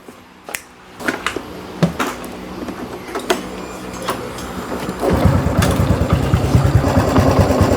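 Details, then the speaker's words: Honda Wave 110i S3 head fitted with an S4 cam, machined bearing seat too large so the bearing is pressed tight and binds: engine catches with a quick light metallic clatter over the idle. Fixed by replacing the 6904 and 6001 bearings. "ทีนี้พอใส่ลูกปืนเข้าไปมันมันเค้าเรียกอะไรนะมันอัดแน่นน่ะทีนี้ทำให้บีบทำให้ลูกปืนมันฝืดแล้วเวลาติดเครื่องมันก็ดังโครงกลางโครงกลางโครงกลางโครงกลางก็ประมาณนี้"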